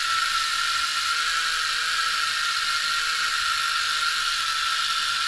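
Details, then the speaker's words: Wii U disc drive after hair was cleaned from its motor: constant harsh grinding with no clean spin tone, still reading invalid disc; grinding persists, owner suspects the drive motor. "yeah it still sounds awful it seemed to have spun longer for some reason but it still sounds awful still invalid disk"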